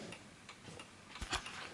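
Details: 1920s 8-day Napoleon hat antique mantel clock, door closed and pushed back into position after calibrating to the table level: crisp light ticks at a steady pace in a quiet room, evenly spaced with no limp; running in beat.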